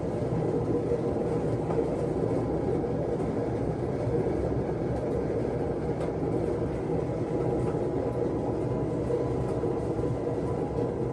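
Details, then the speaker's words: Samsung front-loader washer, over 11 years old, fast spin cycle: loud steady rumbling roar like a freight train, getting louder with added clicking; drum visibly wobbling inside, bearing issue confirmed by appliance repair technicians: worn drum bearings. "you can see that is wobbling inside definitely a bearing issue I confirmed that with the appliance repair folks and it's going to be expensive"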